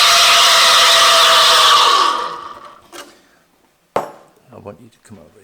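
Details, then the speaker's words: Espresso machine steam wand buried too deep in the milk and never lowered: loud, steady, shrill hiss with no chirping or tearing for two seconds; no aeration, milk reaches temperature but stays thin with no foam. "The problem with this one is the milk is too deep in the steam wand, and we're not going to lower it down at all. So all I'm going to do here is do this, and you can hear how loud this is."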